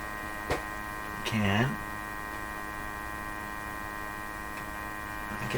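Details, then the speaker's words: Canadian Westinghouse Model 684 radio with its defective second IF transformer bypassed, during first IF adjustment, heard up close at the speaker; steady low mains hum with fixed tones and a couple of adjustment scrapes; speaker hum, cause unknown. "I can hear quite a good hum."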